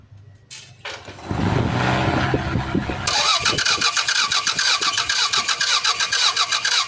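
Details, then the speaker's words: Toyota Corolla, possibly a 1996 model, manual transmission: starter spins the engine in a quick, even rhythm but it never starts; no injector pulse and no high-tension spark; crank no-start traced to a failed engine computer box. "so Ayan n troubleshoot ang problema nito mga sir cranking lang walang kuryente walang fel sa fuel system sa injector"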